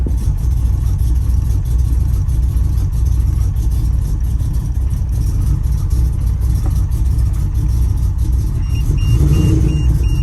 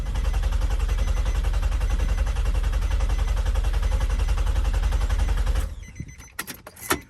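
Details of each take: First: 4.1L stroker Nissan Maxima engine with JWT cams, ported heads and Holley Hi-Ram, first start after build, warning lights on: loud, low, uneven roar with lumpy pulsing and no steady beat; running rough, cause unknown. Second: Nissan Maxima with a 4.1L stroker engine, JWT cams, ported heads and a Holley Hi-Ram, cranked for the first time with the fuel pump and injector fuses pulled: an even, rapid chug for over five seconds with no catch or clunk; a healthy crank without firing.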